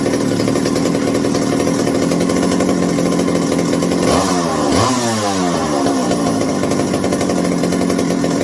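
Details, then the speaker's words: McCulloch 790 (MC101) chainsaw with newly fitted 090 carburetor and binding throttle linkage: idles steadily, revs rise and fall; top end slow to come in, high speed activates late in the running cycle. "The high speed on this one is not what I would call the greatest. It really activates late in the running cycle."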